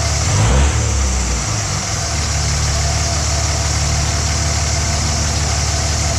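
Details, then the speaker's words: 2006 Dodge Ram 2500 4x4 Cummins diesel after new CSF intercooler, held on brake in drive with throttle: deep steady drone under load with no hissing or whooshing; no boost leak heard. "I was basically just holding my foot on the brake, putting the vehicle in drive, then giving her some throttle, trying to see if I could hear that boost leak again, but I heard nothing"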